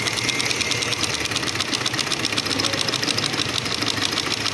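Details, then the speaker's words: Shineray motorcycle clutch rattle: fast, busy ticking over a light single-cylinder idle, caused by worn teeth on the friction plates leaving play so the whole clutch pack knocks. "vou mostrar aqui para vocês o que ocasiona aquele barulho é o desgaste desses dentes sim ela tem uma folga aí fica batendo todo o conjunto"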